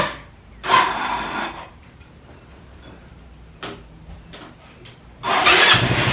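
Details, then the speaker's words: Free roadside ATV, its carb fed from a bottle of gas, catches in uneven bursts that nearly die and then surge back; it sputters instead of holding a steady idle, with possible slight knocking. "What's wrong with it? Nothing. Oh, sputtering. Uh-oh. Probably a little nicky knocky, so that's pretty sweet."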